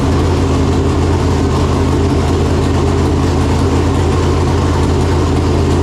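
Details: Freshly installed 568 cubic-inch big-block Chevrolet in a Chevelle with Jerico 4-speed manual, first start after install, came up to temperature well. Deep, even V8 idle with steady low burble, no knocks or ticks; normal warm idle.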